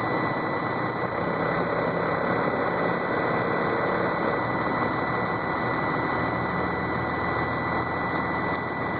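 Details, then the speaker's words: Sterling roll-off semi, cold start in freezing weather, frozen up and hard to start: steady high-pitched shutdown warning buzzer over rough diesel idle; truck shuts down every ~30 seconds unless override button is hit. "Sorry for the buzzer, I'm trying to get it shut off here. I gotta hit the override."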